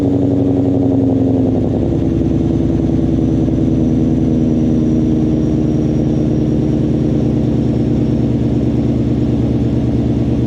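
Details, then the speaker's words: Ford mod motor V8 with Corsa exhaust, cold start after adding Vibrant 1793 resonators (2.5in inlet, 18in) to kill rasp; still loud, RPMs flare and hang high; deep burble settles slightly, little rasp or crackle left; normal. "So there you guys have it. That is the new cold start with the resonators on. As you can hear, it is still pretty loud on cold startup because the way the mod motors kind of flare up and hang the RPMs up a little high."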